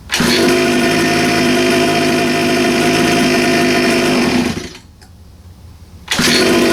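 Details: 47cc Chinese two-stroke pocket bike on choke with a bit of throttle: steady buzz suddenly sags almost to nothing for over a second before catching; bogging out, clogged carb jet suspected.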